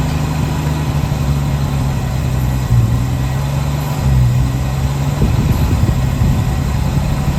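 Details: 1966 Chevrolet C10 shortbed farm truck, last licensed 1979, first start after long storage: the old inline six holds a smooth low hum with only brief dips, idling on its own. Normal idle.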